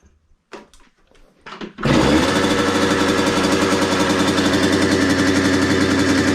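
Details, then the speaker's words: Derbi moped (premium engine) just fitted with a simplified wiring harness. After a few kicks it catches and holds a fast, buzzy, steady two-stroke beat with no stumbling. Normal running. "Normalement, je démarre la moto, c'est obligé de marcher. J'ai tout bien fait."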